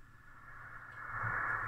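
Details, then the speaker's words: Homemade 80m-band LSB/USB/CW ham receiver (built 1996-97), signal generator at 3.7 MHz, volume up: only steady rushing hiss swelling with volume, no tone; suspected dead front end, oscillator/VCO or mixer, not confirmed. "okay so there's no sensitivity at all or there is a an oscillator that is not working or a mixer or something that is not working"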